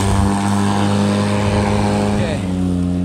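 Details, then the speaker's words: Black and Decker 36 V cordless lawn mower on original lead-acid batteries, mowing after a few passes: steady motor hum that sags and drops in pitch under cutting; the motor is bogging as the batteries run flat. "I think she started to die only been around a couple times here on this back she's sounding pretty pretty tired not push as well"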